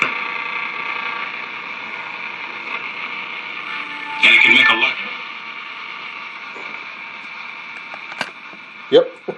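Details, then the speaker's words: Steady thin high-pitched buzz with a few clicks over a 1947 Silvertone 7054 AA6 radio, interference from a nearby video camera charger; the noise stopped once it was unplugged. "Yep. Hear that noise? That's the charger for my video camera."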